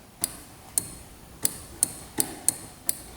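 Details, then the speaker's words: 2005 Yamaha Grizzly 660 ATV, non-running, battery just connected: sharp single clicks about eight in three seconds with no cranking, as ignition is switched on and off; a bad relay is suspected. "I can hear something clicking over here. Almost like one of the relays is bad. You guys hear that? So, I'm turning it on and off, and it's just clicking."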